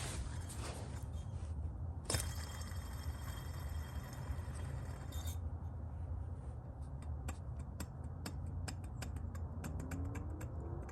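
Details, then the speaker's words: Car engine running with generator light issue: low steady rumble with scattered dry ticks from the generator; both generator bearings judged bad, owner plans to replace the two bearings rather than the generator. "Yeah. So hopefully I can find a place to get 2 new bearings for this thing, because a lot easier, hopefully less expensive to just replace 2 bearings than, you know, try to find a good new generator."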